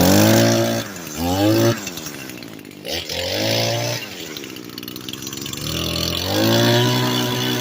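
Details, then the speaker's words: Echo SRM 225 trimmer after repair. Picks up cleanly from idle to high revs and back several times with no bogging. Normal running; owner thinks earlier dying came from WD-40 coating a part. "So yeah, guys, I got it fixed."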